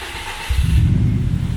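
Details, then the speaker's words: 1997 Subaru GC8 with full STI engine swap, first start after long sit: quiet hum, then catches and settles into a strong, even low rumble; clean start, sounds great. "yeah hell yes all right neutral cool sounds great"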